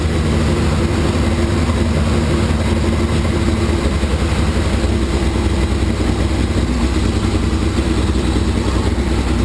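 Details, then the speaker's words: 1981 Laverda 1200 TS Mirage, first start since 2003 after new cam chain, valve clearances, base ignition timing, rebuilt carbs, new airbox and exhaust: deep, even note without ticks, knocks or stumbles; runs healthy, small carb fuel leak noted. "I'm thrilled started right up looks like I'm in the ballpark with my base timing settings and my base carburetor settings and it sure sounds healthy holy smokes"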